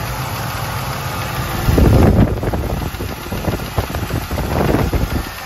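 Uneven idle with a light tapping riding over the exhaust note and a couple of louder blips; a ticking V8 at idle, cause unclear.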